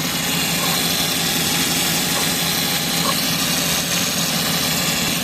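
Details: Suzuki DA64W idling with a steady, hissy whirring rasp from a worn belt tensioner bearing and noisy A/C compressor; A/C blowing only air, not cold; fan belt replaced.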